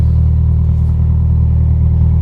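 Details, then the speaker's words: Toyota Celica after its exhaust joint leak was patched with a welded metal plate and paste, before the MOT: deep, steady, even rumble with no puffing or ticking; exhaust sealed, normal exhaust note. "Yeah, there's no leaks now, which is good."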